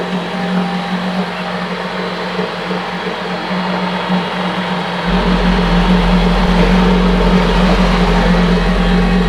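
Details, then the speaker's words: 1975 Johnson 25 hp two-stroke outboard, unrun for four years and revved near redline with its water pump working; loud, raspy exhaust grows heavier, louder than it used to be at the exhaust port. Cause unconfirmed. Excessive exhaust noise. "This is the exhaust port. That's what I knew. That's making a lot more noise than it used to. That's not good."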